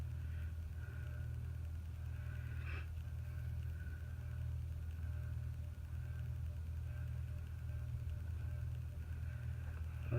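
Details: Antique General Electric ceiling fan, newly hung from an antique hook, running on the low setting of a variable-speed control: a low, steady hum with a soft, even whoosh and no ticks, rubbing or wobble. It is running smoothly.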